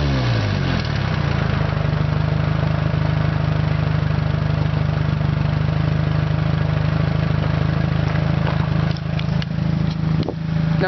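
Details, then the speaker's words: 1992 Honda Accord at a junkyard, cold-started four-cylinder with no exhaust sock: steady low idle drone with a slightly uneven beat, hinting at a miss; the owner attributes it to a failed alternator. "reason why I actually hear that sort of like a Miss is because the alternator's pooched on this"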